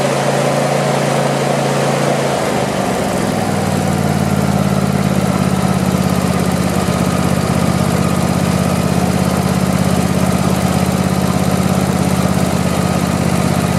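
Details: Craftsman YT4000 lawn tractor V-twin, sat in a barn for years: catches after a couple of seconds, pitch settles into a steady, even putter, no misses. Normal start and idle.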